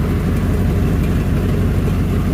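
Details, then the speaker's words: 1992 Ford Bronco, bought non-running after sitting for months, first start at idle: loud raw low rumble with rough chuffing from a small exhaust hole, muffler barely connected past the cat; exhaust leak, loose muffler. "Muffler is about to leave the building. Fancy. Oh yeah. It's not even really connected past the cat."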